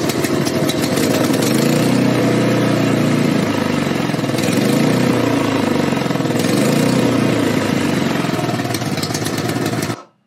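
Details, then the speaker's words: Snowblower small single-cylinder engine that only runs on choke: runs rough, speed hunting up and down about ten seconds before being cut off near dying. Surging because it runs lean, getting too much air and not enough fuel. "so as you guys seen it started to Surge a little bit and then he cut it off a little early but it was going to die because it's getting way too much air that's what they call running lean"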